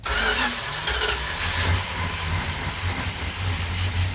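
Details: Newly built 1972 Plymouth Duster 340 V8, no primer fuel, choke held: engine cranks, catches and stumbles unevenly before settling into a rough, hesitant idle; judged to sound healthy.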